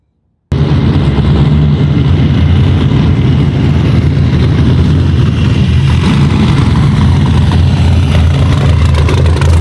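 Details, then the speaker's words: 1946 Ford truck rat rod with LS swap, 2006 5.3 L small-block V8 with 4L60E transmission, higher compression and a big high-overlap cam: deep uneven loping rumble at idle that shakes the whole car in rhythm, running exactly as intended. "it's got a pretty decent cam in it with a lot of overlaps so it rumbles and it shakes and it gets in a rhythm sometimes where the whole car shaking"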